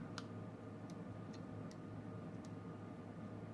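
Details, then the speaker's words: Newly built DIY 5W warm white GU10 LED lamp kit: faint irregular sharp ticks, one or two a second, over a quiet steady hum; ticking stops when taken out of the socket, so probably a small spark at the pins, possibly capacitor charging. "know if it's a component for making that noise or it's just a little spark let's see if I can put it out of soccer no no the doesn't make any shop anymore so it is probably a little spark at the bins here"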